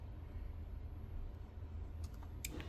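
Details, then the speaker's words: Fuel pump relay clicking during key-on, engine-off PCM-commanded test after repairing a P0230 fuel pump control circuit fault on a no-start vehicle; couple of sharp single clicks, battery voltage present; relay works, repair verified. "clicks, battery voltage present, turn it off, say the timer just went off, right? Time limit expired, but we're able to verify our repairs."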